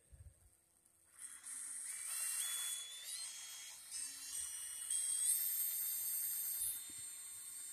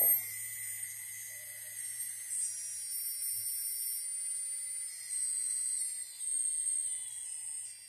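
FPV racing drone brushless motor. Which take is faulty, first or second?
second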